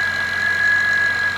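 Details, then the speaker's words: Steady high-pitched whine over the idling V6 of a 2012 Acura TL with its battery light on: a failing alternator. The battery reads 11–12 V instead of 13–14 V running, confirming it before the alternator is replaced. "the alternator making all that noise"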